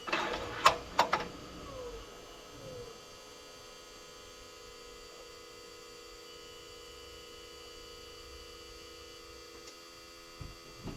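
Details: John Deere 7830 tractor at key-on, engine off, mic by the external VGT turbo actuator (a seized one was replaced; tractor was derating): a couple of sharp clicks, then a short falling motor tone over electrical hum during the ECU's normal travel test.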